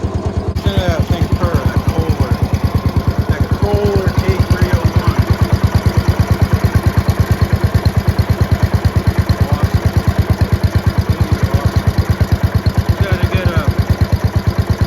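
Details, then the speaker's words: 1971 Gravely 430 tractor single-cylinder engine idling: steady, even thump at about three beats a second with no misses or knocks; engine runs healthy and charging shows 13.6 volts. "Dude, this 430 runs mint. Listen to this idle on this thing. It's amazing."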